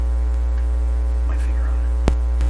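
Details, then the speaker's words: BSR 610 record changer in Dominion Electrohome TR50 console, dead channel turned up: loud steady low hum with a faint buzz on top; hum suggests an open circuit, with the red-wire side suspected as the problem side. "hum is also indicating an open circuit in the uh to me that's what it's indicating hold the circuit we'll leave it like that the non-working channel is turned up and it has a hum"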